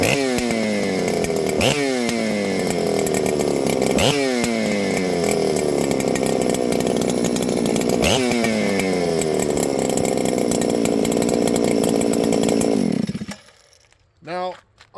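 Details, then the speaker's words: Ported Husqvarna 394XP chainsaw, assembled after years in a box, started then faded: screams at high revs with rhythmic surges, then suddenly dies; ran good until it didn't, bogging and stalling under throttle, cause unknown. "I want you guys to hear that you see that it it ran good until it didn't"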